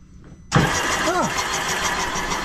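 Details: 2011 Sea-Doo RXT 260 Rotax engine with 700+ hours, during rebuild: a new starter replaces the rusty old one and cranks. It engages sharply with an even, quick, steady pulse and no grinding or clicking; normal starter cranking.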